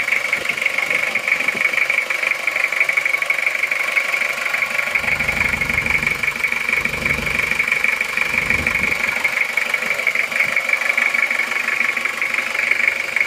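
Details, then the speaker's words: Toyota Kijang diesel 2L just started after rebuild for oil burning from 2 mm ring gap, new liners, original pistons reused: even clatter at steady idle, no misses, knocks or rattles, clean exhaust, healthy engine. "suaranya halus betul ya lihat asap knalpotnya baru saja hidup baru saja hidup Kenapa bersih"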